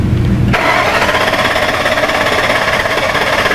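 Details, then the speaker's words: 2002 Ford Excursion 6.8L V10 with intermittent stall, after a new component installed on number nine: wide-open-throttle cranking test with even, steady churn and no stumbling; ignition now healthy. "so what I want to go ahead and do is we want to do the cranking wide open test like we had previously done go ahead and Crank It Wide"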